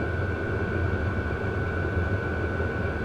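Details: 12 V WIPPRO diesel heater, about a month old, run in December with the muffler off, warming up: a steady even roar with a constant high tone and no fuel-pump ticking. Runs smoothly and quietly.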